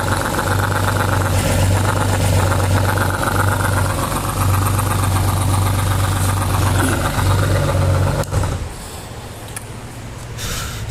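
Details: 2019 Honda Gold Wing automatic that fell on its right side, noise from that side, broken line found: steady low drone with uneven pulsing note for eight seconds, then drops off; abnormal engine noise, cause unclear.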